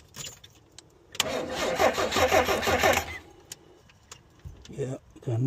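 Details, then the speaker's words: 1986 Chevy Astro-based mini motorhome, crank-no-start call with rodent-damaged engine wiring: sluggish, labouring cranking that never catches, no injector pulse seen; the battery is very weak, dragging the starter on the no-start engine. "no injection pulse. Yeah. The battery is really weak."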